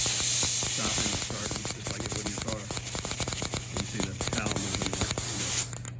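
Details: Bench cleaning an old-style port fuel injector: carburetor cleaner under air pressure, pulsed open and shut by hand from a power supply, giving rapid irregular clicks and a hissy spray; the injector opens and closes normally.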